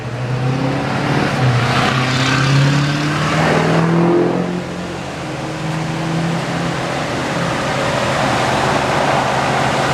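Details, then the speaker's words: Vehicle after exhaust manifold replacement and broken stud extraction: a quick rev drops back to a smooth, quiet, even idle with no ticking at the manifold; running healthy. "your nose gonna turn the rotors she sounds nice and quiet guys I'm impressed"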